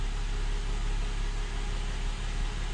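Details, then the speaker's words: 2007 Mercedes-Benz E350 idling after full rebuild with new pistons, done to cure a knocking engine and heavy oil consumption: smooth, even low idle with no knock or tapping, and no smoke. "Sounds pretty freaking good. Also, no smoke. >> I hear that it's not knocking."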